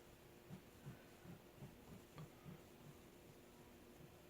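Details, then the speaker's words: Moss TF series ceiling fan (New Fan Ltd N-101 C) on a solid-state variable speed control: a very faint steady motor hum with soft irregular thumps, quieter than the lights and living-room quiet, running normally. "I hear it. Well, it's very faint. I hear the lights more than this Yeah. fan."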